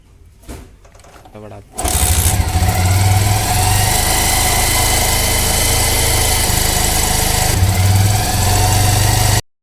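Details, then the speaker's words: Old Bajaj Pulsar 150 single-cylinder petrol bike, first start after about five to six months standing, kick-started with choke: catches after short crank and settles into a steady, even idle with no knocks; normal idle. "ಇವಾಗ start ಆಗಿದೆ ಹೊಡಿ ಎಷ್ಟೊಂದು ದಿನ ಆಗೋಯ್ತಲ್ಲ so ಈ ತರ ಆಯ್ತದೆ"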